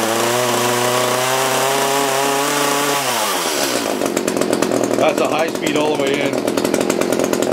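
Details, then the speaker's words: Echo CS-330T top-handle chainsaw that had not run in years, test run: high two-stroke buzz drops off, then crackles and burbles unevenly; old gas suspected, plans to change the fuel; rough running. "sounds better it's got a clearer throat but it might be old gas"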